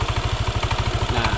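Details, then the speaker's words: Yamaha NMAX with aftermarket billet headlight: fast even idle beat with a rough "kletek" clatter from the CVT that appears when the headlight is switched on (added charging load) and disappears when switched off; broken CVT pulley slider. "nah ada timbul suara kletketk kkk ketk seperti ini"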